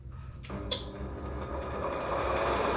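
Motor spins up and settles into an even, steady hum with no wobble, thumping or knocking; the grinder runs smoothly.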